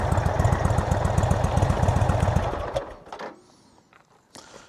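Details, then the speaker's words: Motorcycle after failed exhaust gasket replaced, microphone worn by rider not behind bike: deep even exhaust thump, no ticking or puffing from joints, then switched off; idle like before, leak fixed, one bolt still undone. "So as you can see, it's not overly loud when it's idling. It's pretty much like what it used to be. It's when you crack the throttle is when you'll notice it."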